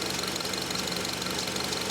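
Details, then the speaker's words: 2005 Honda Element that stalls when cold, idling during secondary ignition scope captures: busy, slightly uneven idle with hissy top end and occasional stumbles; scan data shows misfires counting on cylinders 2 and 4, up to 32; cylinder 4 suspected rich. "scan data shows misfire up to 32."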